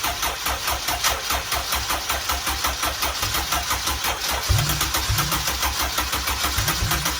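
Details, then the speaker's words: Turbo EG build on its first startup: the engine catches at once and settles into a steady, even beat of exhaust pulses with no misfire or knocking; no leaks, some smoke the owner thinks is normal. "oh oh that sounded good I think are we good over here no leaks oh oh my God that sounded good"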